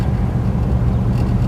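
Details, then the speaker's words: 1964 Buick Electra nailhead V8 idling after intake manifold core plug replacement and removal of old silicone; deep, even burble with no puffing or ticking, exhaust leak at bottom of intake manifold gone; vacuum lines still need replacing. "so much quieter when it doesn't have exhaust leaking out of the bottom of the intake manifold all right that's a big time here nice no more exhaust leak at the bottom of the manifold"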